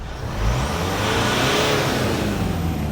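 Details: Mitsubishi Pajero Sport KG4 4D56 diesel, after replacing cracked intercooler pipe that caused black smoke and poor acceleration: revs climb quickly and cleanly under free throttle with steady rising turbo whoosh, no hesitation; normal boost response.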